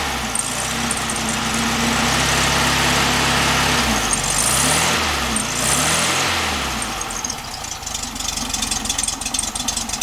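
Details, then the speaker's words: 1967 VW Beetle air-cooled flat-four with rebuilt distributor and correct new spark plugs, original carburetor awaiting rebuild, warming up after about a minute of running; steady idle with smooth blips, no misfire, normal idle. "let that warm up a little bit should be running fine I'm kit it's been running for about a minute it seems to be picking them up and putting them down really nice"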